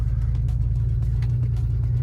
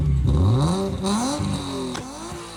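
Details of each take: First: BMW E36 before repair: deep, uneven low rumble at idle with a lumpy, stumbling beat; barely running due to blown head gasket between cylinders 5 and 6. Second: BMW E36 after head gasket replacement: revs climb and drop back cleanly a few times, then settle into a steady, even idle; sounds completely different from before, healthy.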